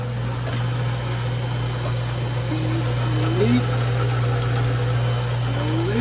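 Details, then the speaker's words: Newly installed replacement garbage disposal under a kitchen sink, switched on: steady low motor hum with no grinding, rattling or labouring; running normally. "hit the switch hit it I mean she's working right"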